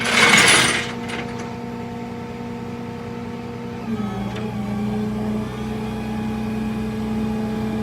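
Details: Toyota 4Runner: steady whining tones over the engine that step down in pitch midway as speed changes; transmission whine, bad transmission suspected, not confirmed.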